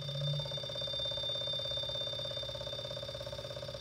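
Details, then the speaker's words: Rewired three-phase brushless washing machine motor (24 ceramic magnets, 36 stator posts) on a simple transistor drive at 30 V, about 0.45 A: an even hum with a fine whine and soft pulsing; it runs normally, slowing and getting noisier when one coil is disconnected. "And you can see whenever I disconnect one of the coils, it slows [Music] down. It's a little more noisy."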